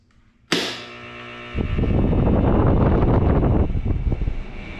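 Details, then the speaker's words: PTAC through-the-wall air conditioner (not cooling, breaker popping) switched on through a custom-built control panel. A click, then a smooth whoosh settling into an even airflow roar: the fan starts cleanly, though a relay buzzes briefly before quieting. "all right it starts but we do have a buzzing relay yeah it's quieting down"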